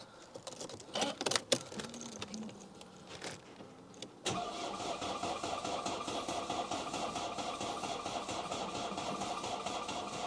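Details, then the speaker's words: Mercedes C-Class engine, refitted after removal, first start attempt with fuel just primed to the filter, on a spare battery: starter drags over slowly and unevenly for about four seconds with little punch. Weak battery suspected, not confirmed. "that don't sound like that one's any better either really"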